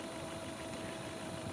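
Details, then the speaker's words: Sanyo M7110K boombox cassette deck rewinding a well-worn tape: steady, even whir holding one pitch with no slipping or dragging; rewind drive runs smoothly; normal cassette rewind. "okay so bear with me sit here and listen to it rewind watch to kind of roll along"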